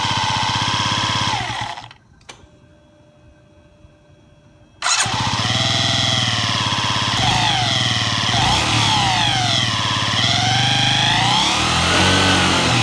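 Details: Yamaha Jog ZR scooter (SA36J/SA39J), two-stroke, accident-damaged, about 9,000 km, before repair: fires up and revs with rough uneven rattle over buzzy exhaust; abnormal engine noise, cause not stated.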